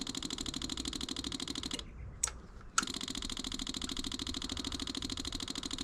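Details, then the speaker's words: 1984 Yamaha Virago 1000, key on refilling emptied carb bowls: rapid even fuel pump ticking runs on without shutting off; fuel comes out the carb vent, owner suspects float needles sticking open, flooding the carburetors. "Okay, so I emptied out the bowls. And I'm going to try filling it up again. I Sometimes the float needles stick open."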